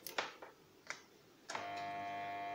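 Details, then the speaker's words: KSB Multi Eco garden irrigation water pump that no longer starts: when plugged in, the motor never spins up and gives a continuous steady buzzing hum after a few clicks; a failed start capacitor is suspected (12 µF 450 V). "voilà ce qui se passe donc ça veut dire que le moteur ne démarre pas du tout et il fait un bruit continu avec apparemment mettant renseigner ça serait un problème de condensateurs"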